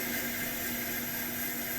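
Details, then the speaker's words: Coleman 414 Powerhouse two-burner stove (August 1993), probably old fuel, flame control turned down to simmer after boiling 1 liter in 4.5 minutes: soft steady hiss, faint even hum, no sputter or surging; normal clean simmer flame. "oh yeah that flame control is looking really nice so as you can see the stove is working very good"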